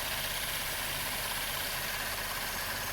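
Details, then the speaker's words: 2012 Chevrolet Impala about three months after intake manifold and valve cleaning and fuel injector and harness replacement, with zero misfires since, idling in winter: quiet, even idle with no stumbles, only a soft hiss. Normal idle. "I showed in the last clip I was driving during a, I wouldn't have called it a snowstorm, but a pretty good snow event, and zero misfires. You can hear it now. Smooth as butter."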